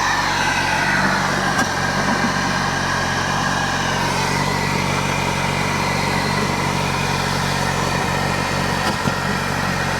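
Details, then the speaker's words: Peugeot 308 GTi THP turbo engine just after a PCV diaphragm oil-leak fix, first cold start. Loud, raised idle right after starting that holds steady without stumbling; normal cold-start fast idle. "We are ready to test fire ignition. [Music] Damn, we got cold [Music] stop. Cold start on this is brutal."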